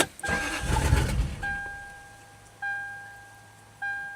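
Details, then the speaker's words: 1996 or 1997 Lexus LS400 abandoned 10 years, fresh gas added, no immobilizer light: engine catches for about a second then dies, even with throttle, fuel pump heard priming; cause suspected old gas, fuel pump or filter, unconfirmed. "It starts for a second and dies. I hear the fuel pump. I can hear the fuel pump priming."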